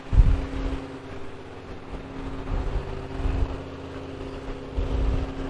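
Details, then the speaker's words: 1970 Rover P6 3500 V8 idling after an oil change, mic at the rear: steady, even, mellow burble with no misses or bark. The exhaust is louder than the owner would like, but the idle is healthy. "So you see standing right here, the noisiest thing is like the fan belts and everything. And it's not very loud in the car."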